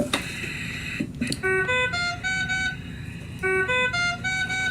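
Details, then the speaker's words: Puritan Bennett 840 ventilator with test lung disconnected: loud repeating stepped tones about every two seconds, continuing until cleared, the high-priority circuit-disconnect alarm. "can see the red alarm circuit disconnect I've gone ahead and pause this so it's not beeping at me but that's the sound that you're gonna hear anytime you have a top tier alarm go off"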